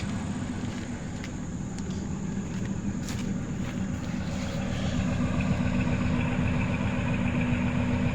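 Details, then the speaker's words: 1999 Ford F150 V8 at idle, warming up, after Blue Devil head gasket sealer for a suspected blown head gasket (misfire, coolant on oil cap); steady even rumble with no miss, no white exhaust smoke, check engine light gone off. "look there's nothing no exhaust smoke no white smoke so I think it fixed it"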